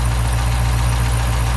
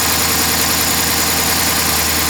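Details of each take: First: 2012 Dodge Charger 5.7 Hemi V8 just started after misfire repair, idling with a steady deep hum; lifters quieting as they pump up, no ticking standing out; engine runs healthy. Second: 2012 Dodge Charger 5.7 Hemi idling after swapping coils between cylinders 5 and 3; uneven loping idle with a regular stumble; misfire stays dead on cylinder 5, mechanical problem suspected, compression test next; collapsed intake lifter.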